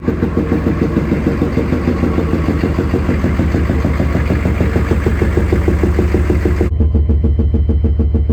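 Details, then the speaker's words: Chevy 6.5L diesel idling with a steady, rhythmic knock and pop about three times a second; endoscope shows a bent push rod on the second valve from the back. "it looks like a second valve from the back has a bent push rod"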